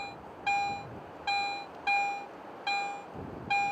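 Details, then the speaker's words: Garrett AT Pro metal detector in Standard Mode swept over two adjacent buried coins: clean single tone bursts about every 0.8 s, the two targets merging into one strong signal, whereas Pro Mode gives two separate audio peaks. "When I switch to standard mode, these two targets are often heard as only one strong target signal."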